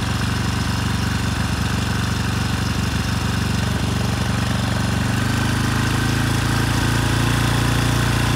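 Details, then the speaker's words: Rebuilt 10HP Briggs and Stratton Storm Responder generator engine (model 21T212-0116-G1), after a knock from an out-of-spec crankshaft, compression 60 psi, run outside at 2800 rpm: steady single-cylinder thump, no knocks, settles lower; running well. "so i'd call this one a win it took a couple tries but it's running well now"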